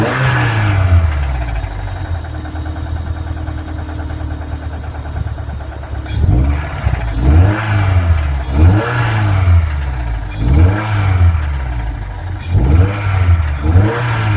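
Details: Toyota MR2 SW20 Revision 2 with the 3S-GE engine, idling and then blipped: a deep knock comes through as revs rise and fall; suspected rod bearing failure from oil starvation, not confirmed.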